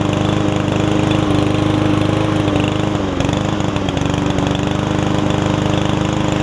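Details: Yard Man self-propelled push mower with Powermore engine, long-sat, after carb clean and self-propel freed up: steady, even single-cylinder putter at constant pitch with brief dip; about 90%, old gas possibly still washing out, owner may add Seafoam.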